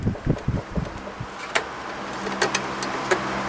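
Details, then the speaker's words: 12-inch Ambassador (Lasko/Galaxy) oscillating table fan after cleaning and service: steady motor hum with irregular metallic ticks and rattle as the shaft knocks at the back from worn thrust washers that need replacing. "That sound. That's a shaft hitting in the back. That washer probably is on its way out."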